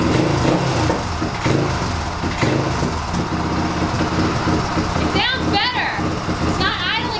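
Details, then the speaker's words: 1997 Suzuki DR350 single with idle adjustment backed off fully, throttle slide closed; hunting, stumbling uneven idle settling low with persistent backfires, suspected air leaking around the carburetor slide, intake boot inspected fine, ignition timing also suspected. "d be is backing off the idle adjustment all the way to the point that the throttle valve closes completely so it's sucking air around the slide even when it's completely shut so I think a new carburetor would probably make this run a lot better"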